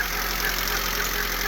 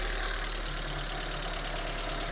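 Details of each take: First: 2000 Honda Civic EX with surging idle: steady raised idle that won't settle; idle air control valve sticking from corrosion, tapping its housing with rod and hammer brings idle down, still hanging slightly. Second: 2000 Honda Civic EX after tapping the sticking idle air control valve housing with rod and hammer: idle dropped, now smooth, even hum with no surging or hunting, steady low rumble; normal idle.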